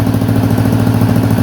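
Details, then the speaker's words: 1985 Honda XL250R fitted with a swapped-in electric-start Honda CBX250 engine and new carb, exhaust on: quick, even single-cylinder putter at idle, no misfires or rattles, super quiet, no smoke; normal healthy idle. "Well, that's a screaming success. That's with the new carb. Exhaust on, super quiet. No smoke."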